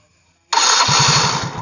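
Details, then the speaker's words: Yamaha Mio fuel-injected scooter that was totally dead (no spark, fuel pump not running), spark plug cap refitted, indicator flashing code 42: short starter whir, then engine catches and settles into quick even putter; clean normal start. "Sekarang tes, kita hidupkan mesin, nyala atau tidak."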